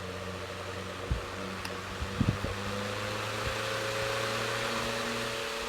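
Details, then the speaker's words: Floor fan after cleaning and a little oil: steady hum with a faint lingering rub and light clicks; noise reduced versus before but not gone, weak airflow blamed on shallow blade pitch. "I didn't really need to put too much oil but at same time the sounds still there but not that bad it was before"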